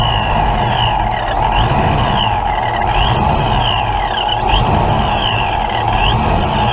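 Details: Ford Mustang with a big cam, start with timing being set: steady, even idle with no knocking or misfire under outdoor chirping; owner notes it's a little rough on idle but sounds pretty good.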